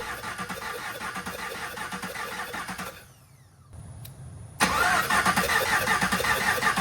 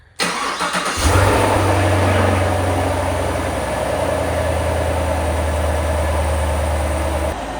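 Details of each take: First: 2021 Camaro SS V8 during a heads-and-cam build, cranking: the starter turns with an uneven, lopsided rhythm of about three beats a second and no firing. Several cylinders have no compression because the pushrods, the 8-inch ones chosen, turned out too long. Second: 2021 Camaro SS V8, crash-repaired and being built up with heads and cam. It is first started after fresh engine and transmission oil and antifreeze, with the battery reconnected: it catches after a brief crank, flares, then settles to a smooth, even burble. No warnings shown. Normal.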